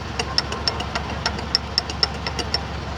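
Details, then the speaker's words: Worn, loose AC compressor clutch pulley bearing with visible play; sharp uneven clicks about four a second over low engine hum while pulleys are checked with the belt off; the outer pulley couples to the compressor when AC engages. "Olha só esse rolamento, ó. Olha a folga, ó. Tá vendo? Dá pra escutar o barulho,"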